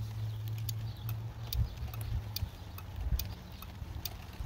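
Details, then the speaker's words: Four-pin automotive relay in a plug-in relay tester, test button pressed repeatedly. Crisp, sharp clicks at a slow, uneven pace over a low hum: relay switching cleanly, normal relay clicking. "So now press on test bottom here. You can hear. So this relay is working fine."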